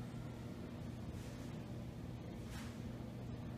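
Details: Hunter Newsome 52-inch brushed-nickel ceiling fan, newly installed, running on its low setting: soft, steady low hum with no ticking, rubbing or wobble; normal, quiet running at low speed.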